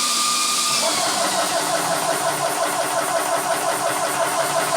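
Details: Vevor PCP high-pressure air compressor set to 4500, started with bleed valve open, fans on: starts and settles into an even steady hum with fan rush, no knocks or rattles; running normally.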